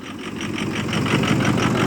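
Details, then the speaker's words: 2006 Ford F250 Super Duty 6.0 Power Stroke diesel at idle, phone on the steering wheel, started after about 5.5 hours on the block heater; it has a hard-start history. Fuel pressure is just over 50 psi. A pulsing, uneven clatter surges about six times a second: rough idle. "anyway i don't know if you can hear how rough it's running put the phone down on the steering wheel it's running rough"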